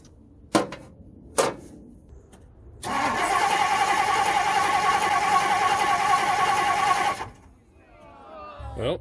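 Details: 1964 Ford Thunderbird with a new voltage regulator, starter relay and coil fitted. The starter turns the engine over at a steady even rhythm for about four seconds but it never catches. The fuel pump works and the faulty distributor is replaced with a Motorcraft unit.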